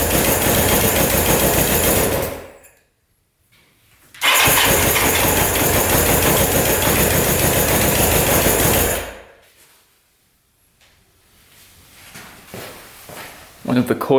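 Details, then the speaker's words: Suzuki Quadzilla quad (1979 or 1989 stated) with swapped KZ 750 engine, after rewiring and new battery, choke on: rough, choppy bursts that cut out and restart, a misfire because a coil wire pulled out and sparked on the engine. "wires pulled out and it was sparking on the engine got to fix that"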